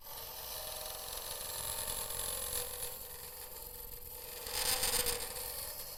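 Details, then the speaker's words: Woodturning lathe hollowing out a vase: continuous hissing scrape with a faint buzzy hum that briefly swells louder. This is harmless tool vibration (chatter) while boring out, with the tool rest far from the cut. "that noise there it's just vibration. Now, you just take it steady for this part because you're just boring it out."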